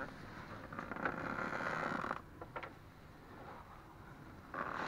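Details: Ford Focus 2, 2.0 automatic, new Loebro drive shafts at 1000 km: both outer CV joint boots, left and right, squeak as the wheel is turned, a high, thin creaking squeal lasting about a second at a time.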